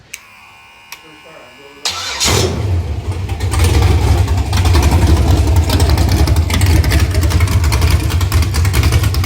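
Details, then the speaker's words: Freshly built 6.0 LS V8 (LQ4 block and crank, Gen 4 flat-top rods and pistons, 243 heads, custom NK Performance cam, long tubes) for a 2006 GMC Yukon, running on engine stand: short crank then deep lopey idle; healthy, clean cammed V8. "Sounds awesome. This is probably one of the most rev happiest engines that I've put together yet."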